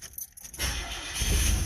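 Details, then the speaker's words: Old Chevy S10 pickup towed in as no-start; fuel pump ran but there was no fuel pressure, tank empty, now about an eighth of a tank added and key cycled: light clicks, then the engine catches and settles into a steady run. "oh oh oh all be dipped they'll all be dipped it was out of gas of all the unbelievable"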